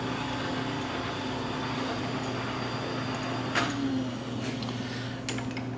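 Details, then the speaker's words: DoAll milling machine table power feed: steady low motor hum with an even tone and an occasional light clunk; servo works fine, with belt whine growing at higher speeds; operating normally. "Now, when you go into the higher speeds, you'll hear that belt whining a little bit more, but it's just a really nice, really nice quality machine."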